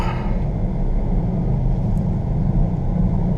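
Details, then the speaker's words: 2015 Jeep Grand Cherokee WK2 cruising: a deep, steady growl under the road noise that starts around 25 mph, is strong at 30–40 mph and worsens in right turns; owner suspects a bad front wheel bearing. "right about 25 mile an hour is when it really starts growling up okay like between 30 and 40"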